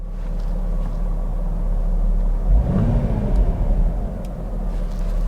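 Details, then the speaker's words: VW Eurovan Winnebago camper, about 56,000 miles, recorded inside the cab: steady, even low engine rumble with no knocks or misses, judged healthy, normal running. "engine sounds healthy"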